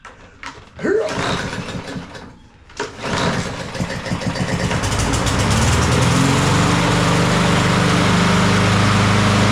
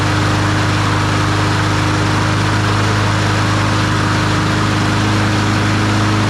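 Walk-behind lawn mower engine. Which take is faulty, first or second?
first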